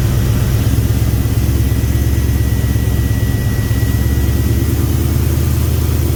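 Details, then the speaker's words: 2000 5.3 LS swapped into a 1992 C1500 with reworked standalone harness: deep V8 idle with irregular stumbling pulse, misfiring at idle and under load after tune and coil change; fuel pressure drops as pumps heat, new fuel pump suspected burning out. "it's just the the fuel pump is starting to give out so even though it's new but we've been messing with it for a couple times so it could have probably burnt out during that time"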